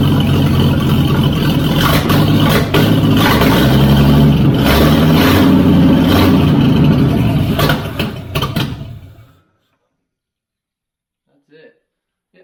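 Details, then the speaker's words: FJ40 Toyota Land Cruiser first start of winter project, no coolant hooked up, fed from carb bowl; catches and runs with a regular, even beat through a few throttle blips, then shuts off cleanly, no knock or miss: normal running. "I'm actually very impressed with how well this runs that's really awesome"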